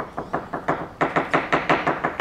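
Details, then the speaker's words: Hammer tap test on a fiberglass yacht hull with thick gel coat: crisp, even taps, each a short solid knock with a defined tone and no hollow thud. Normal sound laminate. "obviously it's your normal sound so I'll go around the tape it's quite thick gel coats it's quite it's quite uh quite defined the tone"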